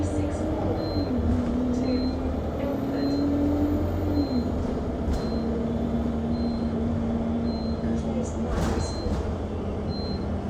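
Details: Enviro 200 MMC 10.9m bus on London route 364, heard on board while driving: short high beep about once a second, nonstop, over bus drone and road noise; warning beep, cause unknown.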